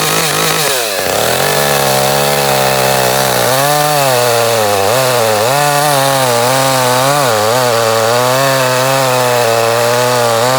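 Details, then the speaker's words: Echo CS-310 chainsaw, six to seven years old, once warmed and revved, wavers and sags in surges at high rpm, cutting out on top for eight months despite new air and fuel filters; a failing spark plug is the cause. "about eight months ago it just started cutting out on top in you know I've gone through it's just out of the blue just started"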